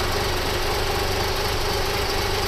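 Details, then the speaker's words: 1997 Toyota 4Runner after reassembly: low, uneven idle, spitting and puttering with a dull knocking chug. The owner first suspected a vacuum leak; the cause is incorrect camshaft timing. "It is idling really low and spitting and puttering around, but it's running, it's idling."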